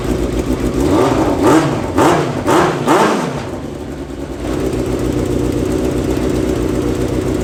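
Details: Yamaha FZ6 engine in a homemade kart with new stainless exhaust, first runs: four quick sharp revs dropping back cleanly, then even steady idle; healthy.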